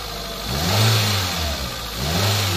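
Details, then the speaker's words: 2008 Hyundai i10 automatic after top overhaul for misfire: revs rise and fall smoothly through two blips with even hum; the earlier tapping from the side is gone, engine responsive and healthy. "Responsive na. Oh. Oh. Wala na yung lumulugutok diyan sa gilid oh."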